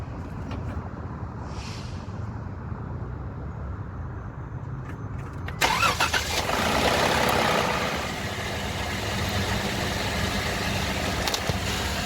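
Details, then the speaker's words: 2018 Jeep Wrangler JK on pre-purchase inspection, startup with dark-looking oil: brief metallic rattle in the first seconds, then steady idle. Inspector suspects it needs an oil change and mentions possible cam phaser oil-pressure issues; not confirmed. "you hear some of that initial rattle. It just sounds like this could use like a good amount of oil change."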